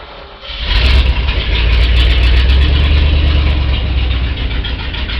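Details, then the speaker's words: 1965 Ford F250 being revived, six bent pushrods replaced, started cold and briefly under-choked in a closed garage: cranks and catches quickly, then smooth even idle without ticking or knocking; normal cold start and idle. "the engine's working pretty well i had to swap out i think six of the uh push rods they were bent but that's all right i mean it runs"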